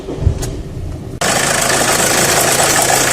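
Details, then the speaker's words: Renault Clio 1.5 dCi diesel: rough idle with busy rattling clatter, shaking only at idle and disappearing above about 1200–1300 rpm; suspected from the tensioner, not confirmed. "البروبليم الموتور يرعش غير كي يكون في الرالونتي، كي يبدا الموتور تاكسيليري شويه فوق 1200 1300 تور بار مينوت يروح الصوت هذاك."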